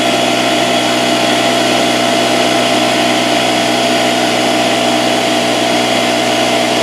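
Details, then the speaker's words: Porter-Cable 6-gallon pancake air compressor (1.5 hp, 3.5 SCFM at 90 psi) after repairing a broken copper line: loud steady whirring hum, no knocks or rattles, pressure building to about 70 psi and holding. "but we're about 70 pounds right now and clearly it seems to be holding pressure and working"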